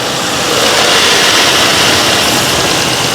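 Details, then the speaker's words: Nissan Skyline R34 first start after sitting 5 years, following fuel pump replacement and battery charged by solar panel; even, steady idle with smooth hiss, no knocking or ticking, running smooth — normal idle. "and it sounds good. There's no knocking, there's no ticking. This car is running so smooth."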